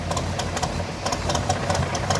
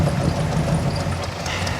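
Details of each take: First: 1985 Chevy K10 with a carburetor that sat a while, which the owner suspects is gummed up. After Seafoam spray and fuel additive and a 15-minute hot soak, the idle now holds but lopes unevenly with irregular ticking and surging: still slightly rough idle. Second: 1985 Chevy K10 with a carburetor, after Seafoam spray and fuel additive treatment. Previously it died without throttle; now a steady low rumble holds an even idle on its own without stumbling or dying: normal idle.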